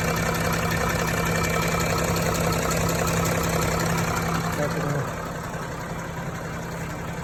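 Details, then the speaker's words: Range Rover / Range Rover Sport (L405/L494) 3.0 engine idling: fast, even knock about three per second as the accessory belt jerks; seized alternator overrunning clutch stops slipping, making the belt tensioner vibrate wildly; heard loudly inside with bonnet closed. "Итак, ребята, эта проблема, вибрация этого натяжителя, возникает из-за того, что обгонная муфта генератора, вот эта , заклинивает и перестает проскальзывать. Из-за этого ремень начинает дергаться"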